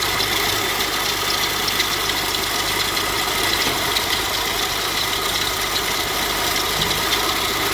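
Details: 2006 Kia New Sportage at 254,800 km idling with a loud steady droning hum and hiss; owner reported the loud engine rattle, traced to a failed alternator bearing; charging output still fine.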